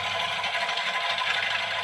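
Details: Old, long-used scroll saw, speed control set to the middle: a fast, even buzzing chatter from the blade stroke at a steady level, no knocks or surges. The motor still sounds very smooth; normal running.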